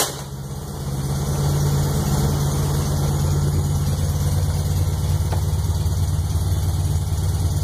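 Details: 1641cc engine, startup after rebuild: low lumpy idle with an irregular pop and a knock about three times a second; cause unclear.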